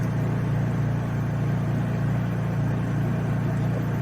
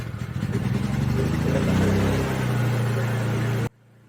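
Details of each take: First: Honda EU3000is generator fitted with a cheap aftermarket Huayi carburetor, factory servo moved onto it: smooth, steady low hum holding one even speed, no hunting; runs way better, the earlier surging gone. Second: Honda EU3000is inverter generator idling after its factory Keihin carburetor was taken apart and cleaned a second time: engine note swells and sags over a couple of seconds, pitch drifting up then easing, a hunting, surging idle.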